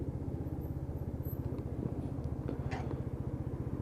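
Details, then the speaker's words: Lexmoto Titan at 4,166 on the clock, test ride after fuel-system repair for cutting out at idle: slightly cold engine idling steadily at about 1500 rpm (normal 1000–1200), even putter, no hunting or misfire; clean healthy idle. "i'm just going to sit here for a second outside in about 1500 rpm so engine's still a little bit cold well he should idle around about a thousand to 1200"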